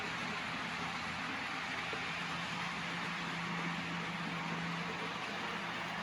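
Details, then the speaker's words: Custom Tyco Chattanooga model train tender drive, cordless motor with flywheels and Athearn gears, after tune-up for slow running; steady even electric hum in reverse under light track noise, no catches or surges: normal running. "it's running just as well in reverse so there it is my custom taiko chattanooga all tuned up and ready to run"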